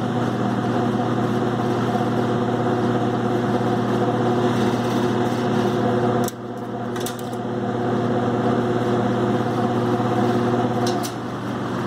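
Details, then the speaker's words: Vintage New Home 20-inch box fan after a clean, lube and rewiring, on final test: steady hum under a thin, constant high bearing whine, worse on high; stripped cage also rattles. "Definitely don't want to run it on high unless you want to hear that bearing whine."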